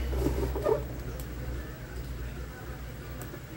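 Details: Arno fan after its thermal fuse was bypassed with a direct jumper: steady low hum, smooth even drone, no grinding or rattling; motor spins freely and runs normally.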